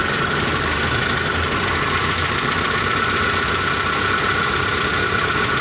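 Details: Car engine limping at idle: loud idle with a faint steady whine; misfire attributed to loose valve clearance leaving a dead cylinder.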